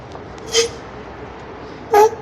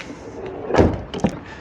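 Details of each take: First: Zastava 10 (Fiat Punto) door before lubrication: two short, high squeaks as the door swings, then latch clunks. The dry hinges and door check need PTFE spray. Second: Car doors after their hinges were lubricated: two clean movements, a soft swing and a thud, with no squeak or creak; the hinges are now quiet.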